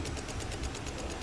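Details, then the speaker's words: 2000s Honda CR-V that won't start: fast buzzing chatter, about eight clicks a second, from the under-hood relay with engine off, unchanged after replacing relays; bad ground wiring, starts once an OBD scanner is plugged in. "i had replaced this relays and this one but the thing is still same it's making noise as you guys can listen it's making noise and car won't start"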